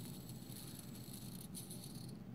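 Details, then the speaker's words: Small CD-ROM spindle motor driven by a 10A ESC, started at about 25% throttle: dense quick rattling of the auto-balancer balls over a low hum and shaking, before the motor stabilizes and goes quiet. "so i'm actually going to stop it and then start it at like 25 right off the bat and you'll hear those balls making rattling sound first and then the motor will just stabilize"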